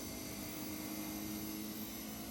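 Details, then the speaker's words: 20 hp VRV AC, first ever start during refrigerant testing: the outdoor compressors hum steadily with a smooth fan rush and no knocking. Normal running. "Compressor started up. This is the virgin start of the VRV. You hear the compressors"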